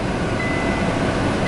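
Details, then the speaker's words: Kenworth T680 truck while driving: two faint high dings about a second apart over cab and road rumble, dash low-coolant warning; reservoir well below low line, engine temperature holding at 190 degrees. "I'm going to need coolant. I actually am, it is dinging, that's what it's telling me, is that I'm low on coolant."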